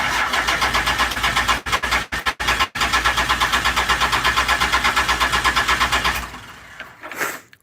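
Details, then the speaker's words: Challenger engine with unfamiliar owner wiring, in park; uneven stuttering cranking near three beats a second, then stops without catching: cranks but won't start. "but it does ruin he parked it right here where it sits but it doesn't want to run right now"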